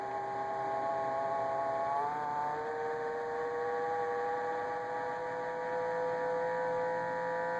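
Steady tonal whine with several pitches that step up about two seconds in over a constant hum; the fridge is making an abnormal noise of unclear cause.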